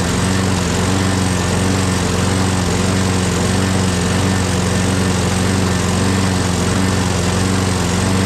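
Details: Craftsman 6.5HP Briggs Quantum FWD mower after magneto replacement and carb clean, primed and electric-started: steady, even engine note at constant speed, no misses or surging. Owner hears an unidentified clanking and must prime it every time.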